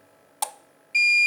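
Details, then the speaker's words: Inverter set papan 24V/48V 2000W with ATS in UPS mode, pre-shipment test: grid (PLN, 50 Hz) input reconnected, sharp ATS relay click then steady high beep as load transfers from inverter back to grid; normal transfer. "terdengar relay ATS-nya sekarang sudah PLN."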